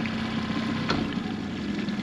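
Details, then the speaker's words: Outboard on Hood 23 sailboat in a river after repair of stalling problems; steady, even low idle in neutral with no stumbling or dying; normal idle. "In fact, it's going to be slower than that even, because I'm going to go into neutral, which is what that is. So while we're out in the river, I'm just testing these things, checking they're okay."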